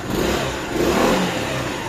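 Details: Yamaha Xmax scooter after cam/rocker roller play and a failed water pump were found: short rev rising and falling smoothly, no ticking or clatter; engine sounds healthy after repair.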